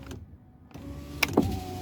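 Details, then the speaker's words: 2010-2014 Kia Sorento with a stuck-down driver window master switch, before replacement: the window motor hums, strains and clicks at the bottom stop while still being driven, and the contact only disconnects after the motor reaches its end of travel. "okay the contact is disconnecting after the motor reached the end of the down level but still it's annoying"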